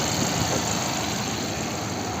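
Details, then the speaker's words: 2019 Chevrolet Equinox after replacing the high-pressure fuel pump pressure regulator that caused delayed starting: steady, even idle with a smooth low hum, no knocks, misses or ticks; now starts easily and runs cleanly. "كملناها وهسه حاليا تشتغل مضبوط وحالكم شلون تشتغل"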